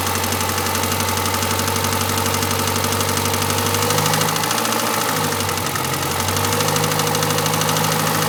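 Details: Renault Clio RS1 engine at idle: steady hum with loose, uneven tapping about four a second, something knocking, cause unclear; abnormal engine noise at idle.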